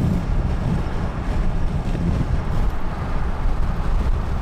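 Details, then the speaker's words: VW Mk7 GTI at about 70 mph, window down, after fitting 3D-printed CJM Industries wind deflectors near the front mirrors: steady even wind rush with no pulsing or buffeting frequency; mirror-area buffeting eliminated. "so now the wind noise is just a solid noise like there's no there's no buffet there's no frequency behind the wind noise anymore it just sounds like a solid wind noise like you would hear in a car generally"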